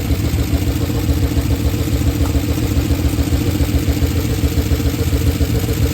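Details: Oldsmobile Super 88 at low idle, warm, after timing adjustments: heavy uneven idle, lumpy puffing beat 3–4 per second; rough idle, smoother before timing work. Hard to restart warm; exhaust damaged and missing bolts, owner unsure if it causes the sounds.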